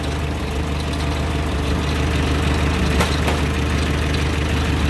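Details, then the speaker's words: 1925 Durant Star Touring engine, hood open, vacuum-fed fuel system, 3-speed manual: low, even idle with steady unhurried beat, no knocks or stumbles; normal smooth-running idle, starts right up. "See, it's a nice, smooth running engine. Sounds good. Starts right up when you know how to do it."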